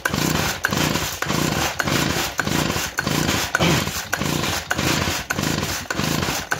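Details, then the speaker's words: Compression test on a small two-stroke engine known to run great; repeated recoil pulls about one a second, rasping whirr with no firing; gauge reads under 10 PSI, low compression reading. "I mean it is building a little bit of pressure not much I mean it's not even getting up to 30 PSI it's not even getting up to 10. you can hear there's a little pressure in there"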